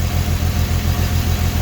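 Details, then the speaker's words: 2008 Dodge Charger 2.7L V6 with P0302 cylinder 2 misfire code, idling with rhythmic low thump and shake; coil swap test shows number 2 ignition coil faulty, coil and all six spark plugs to be replaced. "Now that's telling me that the ignition coil is faulty. That's a quick way to tell if your ignition coil is not working properly."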